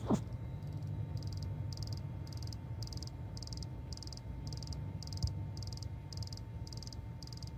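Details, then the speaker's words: 2012 VW Tiguan TSI 4Motion, engine off with key in first position: crisp, insect-like tick repeating about twice a second from the high-pressure fuel pump regulator; clicking stops when it is unplugged; owner unsure whether normal. "so the other noise is a clicking noise it is coming from here so I understand this is a high-pressure fuel pump and this one here is a regulator for it"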